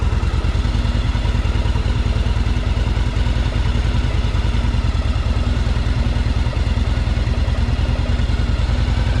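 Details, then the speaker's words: 1984 Yamaha Virago 1000 V-twin first start on choke after carburetor flooding fix, running on its freshly cleaned carbs; loping, steady, even idle with no stumbling or misfires, running really good. "Well, that fixes the problem. It runs pretty good, too. It's awesome. It's running really good."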